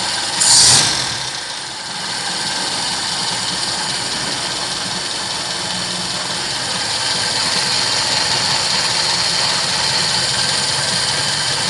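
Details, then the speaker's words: Toyota K-series engine on its old 3K carburetor, last run before swapping to a 4K carb: brief clatter at start, then an even idle hum under hiss with no clear knock. Idle and acceleration are good, performance lacking; normal idle. "Okay naman tong andar nito guys, maganda yung idle, maganda rin yung kanyang acceleration."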